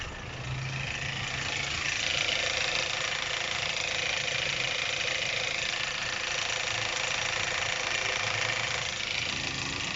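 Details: 2010 Chevrolet Captiva, 2.4 L engine, phone held at the front of the engine at steady idle: a fast metallic rattle of roughly three and a half beats per second, pointing to worn timing chains and tensioners.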